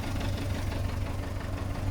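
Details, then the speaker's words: At idle, 171,000 km car with flood water lines: steady low idle with a loose, buzzy rattle from the exhaust resonator, whose middle outer shell is gone though the core seems intact. "the outer shell of the resonator in the middle is just gone the resonant core is still completely intact it seems but this might have to be done um you can hear the rattle from here"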